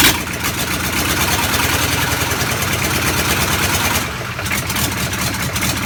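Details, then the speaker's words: Land Rover Defender V8 conversion, first start from cold with no exhaust fitted and no coolant (dry fired): loud raw V8 bark with crackle and rapid popping, running fairly evenly after start; healthy normal running with open exhaust. "I don't think my neighbours appreciate it, but that's one of the nicest sounds I've heard in a while, is that starting up from cold."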